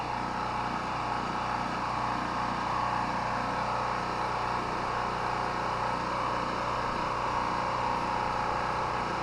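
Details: Chinese Honda-clone portable petrol generator, unused about a month, run on mostly year-old stabilized fuel: steady, even drone with no surging, hunting or knocks; smooth, healthy run.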